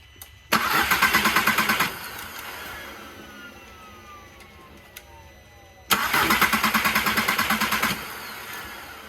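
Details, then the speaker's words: MK4 VW GTI after replacing camshaft sensor, fuel pressure regulator, fuel pumps and spark plugs: two brisk even cranking bursts, each catching within a second and a half and settling into a quiet steady run; normal start. "this is sounding good sounds right bro"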